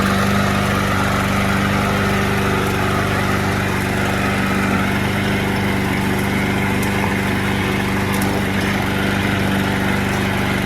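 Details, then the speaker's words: Lawnmower: steady engine drone with a slightly uneven, lumpy beat throughout; running a little rough, cause not yet found. "it does sound a little rough I was just about to roll it into the back"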